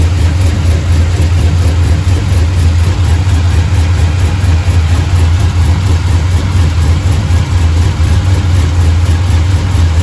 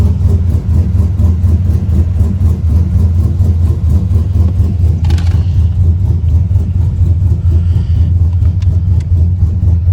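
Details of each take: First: Truck with 6.0 LS built into a 6.2 with TSP cam, fresh motor, cold start after water pump replacement, high-volume oil pump, warming toward 210: deep loping idle with slight cam chop, steady; normal cammed idle. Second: 6.0 LS built into 6.2 with TSP cam, untuned stock 6.0/4L80 PCM, near operating temperature: choppy uneven idle lope with irregular stumbles; scanner shows multiple random misfire, blamed on the untuned cam, plus an evap code from a missing valve.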